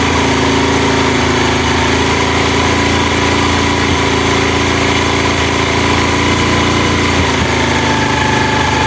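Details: Honda Mega Pro mono single-cylinder, hard starting and stalling at idle traced to an air leak, after the carburetor air screw was set: steady idle holding an even beat without hunting or stumbling.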